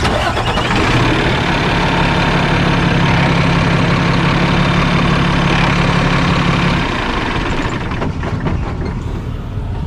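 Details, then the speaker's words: Flatbed straight truck diesel after replacing the old, likely original 800,000-mile starter that had been cranking slowly: brisk, strong fast cranking catches within a second into a deep steady idle; normal cranking and start. "not bad i like it it uh spins quicker and it doesn't seem like a pose as much energy to start"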